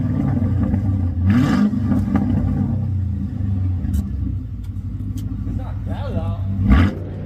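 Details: Car with Flowmaster X-pipe and 2.5-inch exhaust all the way back, mufflers cut off after being crushed: deep, loud, raspy roar swelling as the engine is revved, open exhaust with no mufflers.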